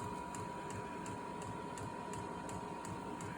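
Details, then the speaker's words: Amazon diesel heater just installed to heat a garage, starting up after the fuel line was bled of air: steady fan rush, thin constant whine and soft pump ticks about three a second. Hot air is coming out, fully functioning, and the exhaust pipe is burning hot. "She is running. That is pretty hot air coming out of there. I like it. Fully functioning."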